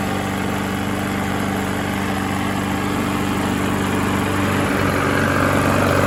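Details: Small Briggs single-cylinder engine that had seized, running steady and even at a fast drone after being freed, with no rod knock or clatter, so the motor seems fine; drained oil was pitch black and the owner suspects it ran low on oil.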